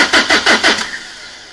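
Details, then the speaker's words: 2003 Renault Laguna 1.9 dCi diesel that got harder to start, now a non-starter, cranked with low battery while fuel rail pressure sensor is monitored: slow, labored cranking, about six strokes a second, dies without firing. "okay well that should have gone dwell over a volt um although we are a little bit slow on the on the cranking speed so what I might do next I might put some uh charge back into the battery and try that test again"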